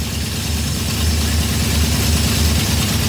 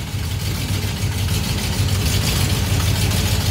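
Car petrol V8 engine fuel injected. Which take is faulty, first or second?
second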